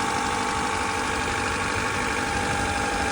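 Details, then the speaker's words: Honda Accord CB7 after a burst thermostat-housing coolant loop hose was replaced, radiator flushed and refilled with blue Honda coolant, running with the heat on to bleed the cooling system: a steady, even idle with no knocking or hunting. Running good. Normal idle. "Car is running good. It sounds good."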